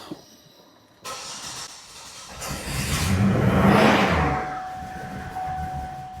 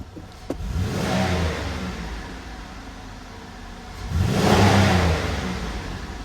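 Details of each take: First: 2005 Buick LeSabre 3800 V6, no codes, O2 sensor already replaced, ICM suspected: barely starts after cranking, then runs unevenly with stumbling low exhaust pulses, a bad new misfire; owner suspects crank sensor, plans to scope it. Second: 2005 Buick LeSabre 3800 that misfired and ran rich once warm: with the erratic mass airflow sensor unplugged, two quick free revs climb cleanly and settle with no stumble or misfire. The faulty MAF was the suspected cause.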